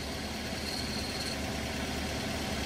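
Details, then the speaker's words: Toyota Avanza at idle before test drive: faint high chirping squeak (krik-krik) over the engine with clutch pedal released, vanishing when pressed; clutch release bearing squeak. "Nah, ini sebelum kita tes drive, kita juga suara dengar suara krik engkrik engkrik ngrik itu biasanya dari bearing kopling. Coba kita lihat ya. Ini kalau kita pedal kopling kita mainkan nanti bunyinya akan hilang-hilang, hilang timbul gitu"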